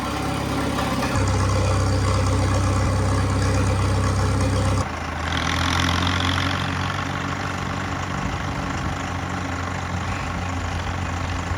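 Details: Old Case tractor after moisture was dried from its distributor cap and the points filed: a steady low idle thrum, then the speed shifts and settles again, firing even with no misses or pops, running smoothly.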